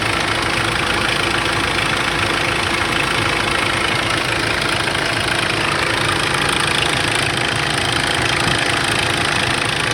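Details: Cold-start idle on a 2005 Kia Sorento 2.5L CRDi D4CB diesel: fast, steady metallic rattle about twice a second over the diesel clatter; owner suspects a bad timing chain, source unconfirmed.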